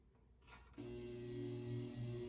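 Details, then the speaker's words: Restored early-1970s Eskimo 20124 electric fan, motor recently oiled after years unused; steady low hum with faint high buzzing, louder before oiling, buzzing fades at full speed; owner suspects vibration. "now you can hear the hums a little bit on low on high there's the weird buzzing sound i don't know what that is i think it's vibration it was much louder before but now after i oiled the motor and got to work it works fine"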